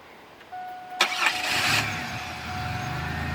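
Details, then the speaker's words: 2001 Pontiac Grand Prix, GM 3800 engine, that kept dying on the road, started with the mass airflow sensor unplugged: short crank, catches at once, steady idle on base mapping; misinstalled air filter let dirt in; faulty mass airflow sensor. "in a lot of these sensors you can unplug and they have base mapping where the engine will run without them but this works really well for the mass airflow sensor on this particular engine"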